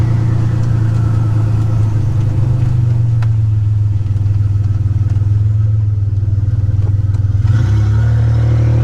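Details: 1985 Nissan 300ZX Turbo (Z31) driving after new spark plugs and wires and replacing a torn intake/charge-pipe hose that caused a boost leak and misfiring under boost: loud deep exhaust roar holds steady, then pulls cleanly up through revs with no stumble or cut-out; builds boost properly.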